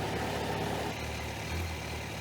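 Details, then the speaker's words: 2001 Kawasaki Ninja ZX12R barn find, first start after about 20 years stored, fresh fuel, warming through a heat cycle: steady even idle without choke, no misses or knocks, puffing some blue smoke, no visible leaks; normal idle. "The bike is idling without the choke, which is a really good sign. There are no visible leaks and she's puffing some blue smoke."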